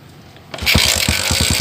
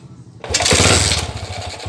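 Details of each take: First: Jialing 85cc motorcycle after loose clutch nut fixed, previously noisy at clutch: starts on first kick and idles smoothly, even steady putter about seven beats a second, no knock or rattle, with clutch pulled or released. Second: Jialing 85cc motorcycle (like C70/Astrea 800) running: a harsh, rapid knock of about four a second, mistaken for rod knock; loose front clutch-cover bolts, with one missing, and the noise stops when the clutch lever is pulled.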